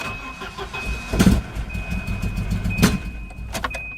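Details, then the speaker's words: Volvo 240, engine barely starts and runs rough, stumbling and surging with irregular pops, barely holding idle, won't rev and sounds fuel-starved; owner suspects the fuel pressure regulator. "you can hear it really not happy and it barely started doesn't want to run so the problem of this is I believe to be the fuel pressure regulator"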